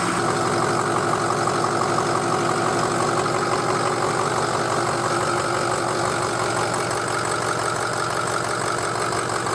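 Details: Diesel truck idling after hot no-start repair, started with ether on weak 7-year-old batteries, first run in a year; steady even clatter about three beats a second, no misses or surges; healthy settled idle, to be checked for leaks.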